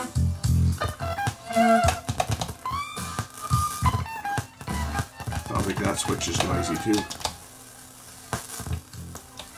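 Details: Alpine EL6000 cassette deck playing tape: frequent sharp crackles and pops over the music from a faulty record-play switch, adjustable by two actuator screws.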